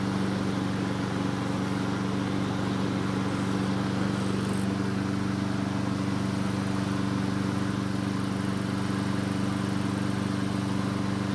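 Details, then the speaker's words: Nearly new Honda HRN 216 mower after manual fuel priming fixed no-start; steady, even drone with regular beat, no sputtering or hunting; suspected water in carb bowl or jet blockage cleared; normal running. "well that was really interesting the engine started and ran it just apparently needed to be physically primed"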